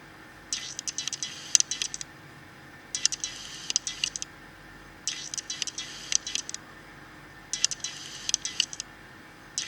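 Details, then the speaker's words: Nikon D5500 camera, about one year old, with its AF-S 18-105mm kit lens, refocusing between objects via the touchscreen. Short high buzzing whirr bursts in four clusters: the focus motor is noisy enough to be picked up by the camera's internal microphone. "Hai nampak bawa motor bungkusnya cukup berisik dan terdengar sampai di microphone internal dari kamera"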